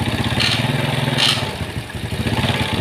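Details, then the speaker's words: Yamaha Mio Sporty scooter, single-cylinder, idling with exhaust refitted after camshaft rocker arms (in and out) were installed and oiled, starting on the first kick; even, quick putter with no tapping or rattle, smooth and normal after the fix. "Dan alhamdulillah suara motor sudah sangat halus dan sudah normal sobat mekanik ya."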